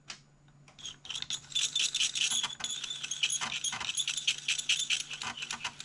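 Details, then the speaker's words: Atari STFM floppy drive reading a disk after reset: rapid, uneven, high-pitched scratchy ticking of about two per second. The drive is failing, its heads have carved a groove in the disk, and it likely needs replacing. "that sounds horrible yeah we're getting nowhere"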